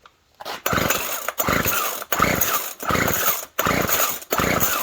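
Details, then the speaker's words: Poulan Pro Twist and Edge TE450 string trimmer, primed then pull-cranked: six quick pull-cord cranks, engine spins briefly but never fires, no-start; no fuel seen moving through the fuel line, owner suspects fuel filter or a blockage. "I don't see anything coming through the fuel line. It could be that fuel filter's no good, but it looked pretty clean."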